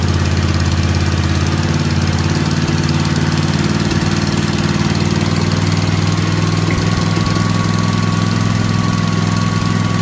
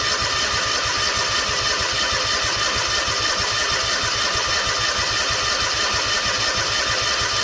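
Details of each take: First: Kawasaki FR730V V-twin, just rebuilt and installed in a Cub Cadet SX60 mower, choke off, revved a little on first run: steady, even drone at raised speed, no knocks, misses or rattles; oil smoke from muffler, no leaks; normal running. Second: Freshly rebuilt Kawasaki FR730V in a Cub Cadet SX60; steady cranking with even compression pulses that never fire, as a second fuel shutoff at the tanks was closed. Cranks but no start, no fuel.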